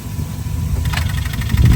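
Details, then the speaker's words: Subaru with a dead, flat battery: slow, labored low cranking churn that never picks up speed or catches, as the weak battery can't spin the starter properly. "Well, uh, we're going to let this thing charge up and, uh, we'll see if we can get it going."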